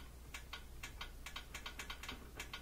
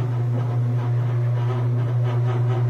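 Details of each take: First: Whirlpool Thin Twin washer that would not spin: with power on and dial set to spin, only faint irregular clicks over a quiet hum, no motor spin-up; likely lid switch fault. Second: Whirlpool Thin Twin laundry center washer after re-tightening the leaning basket (temporary fix, worn shocks should be replaced): steady low even hum in spin with no knocking or banging, winding down smoothly; spin now works, normal spin.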